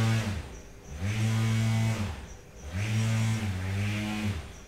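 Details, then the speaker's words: T-motor U15 on VESC 100/250, firmware 6.0 beta 49 with mxlemming observer, 180 A limit, motor direction inverted after the propeller spun backwards: low steady hum stepping with throttle, clean even tone without grinding or stutter. Normal motor run. "and it runs perfectly fine let's do the field weakening again and see if we can push the power a bit more"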